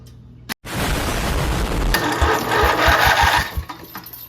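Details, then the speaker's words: Engine unrun for 25 years, starter powered directly by a battery charger/engine starter on the bench: spins up instantly to a fast, even whir with a rough violent clattering edge; starter turns freely and works. "That works. Oh. very violent."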